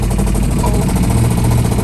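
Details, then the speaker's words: 1969 Chevrolet Caprice 427 V8, 4-speed, sitting since 1988, first start running off a gas can; chugs unevenly, stumbling and never settling to a clean idle; rough running, owner suspects stuck lifters. "whoa doesn't run very well but it runs oh how to lifters stuck or something"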